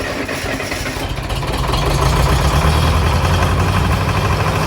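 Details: Mid-1960s John Deere 3020 diesel tractor started after sitting five years; steady, even low rumble at idle with no knocks or misses; the engine is running smoothly.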